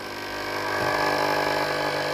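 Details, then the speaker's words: Philips steam iron GC7703, clean mode test with front plate heating normally: steady buzzing pump hum with no steam hiss, no steam from the plate; pump valve cracked so no water delivered. "สังเกตนะครับไอน้ำไม่ออกด้านหน้าเตาเลยนะครับได้ยินแต่เสียงปั๊มน้ำนะ"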